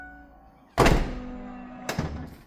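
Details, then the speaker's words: Mercedes S211 wagon tailgate after the latch was replaced to cure a grinding noise on opening. Two clean, solid thunks as the tailgate shuts and releases, with no grinding or scraping; latch working properly. "No noise. This is sounding promising or not sounding promising, I should say. Cool. No more noise."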